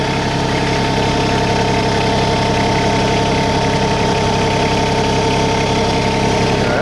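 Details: New 2022 LS MT125 tractor with about a half hour on it, three-cylinder diesel just fired up. Steady even idle clatter at constant speed, no knocks or misses; healthy normal idle.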